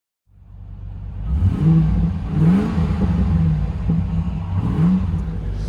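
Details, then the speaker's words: 1996 Land Rover Discovery 1 V8, 5-speed manual, just delivered: fires up, blips briefly, then settles into a deep, even rumble with no knocks or misses; holding steady idle; normal idle. "All right, she's holding steady. I was gonna see if it'll warm up a little bit, make sure it doesn't have any overheating going on."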